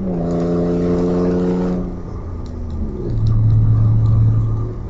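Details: Audi A4 2.8 12V with an exhaust leak right after the flex pipe and before the cat, leaving one bank open: gruff, tractor-like chuffing and ticking that rises and falls with throttle while revving; later repaired.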